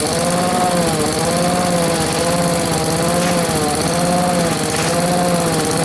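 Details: Small two-stroke blower, run outdoors, holds a steady high buzz with only a slight slow pitch waver; the surge it always had is much reduced, owner thinks it starved for fuel; running smoothly and healthy.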